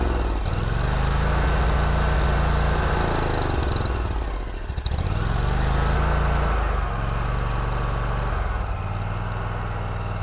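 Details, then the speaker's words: Kubota Z122R Kommander mower with a long-running fuel problem; runs only with the choke on, chugging unevenly and sagging as if fuel-starved, and dies when the choke is opened; fuel delivery suspected, with a new carburetor and fuel pump being checked. "time it dies because i'm pushing the choke down oh that's actually with the choke up or choked down now as you can probably hear not running well at all really act like it's stalking for fuel"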